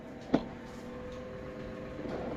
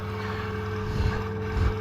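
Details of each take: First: Saxon wood heater blower fan after cleaning dust from bearings with electrical spray and lubing the bushing: a few handling knocks then a steady, even hum, quiet and smooth; normal blower fan running. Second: that real fine stuff there what just blew around the half and actually out of the heater that's why it's making that noise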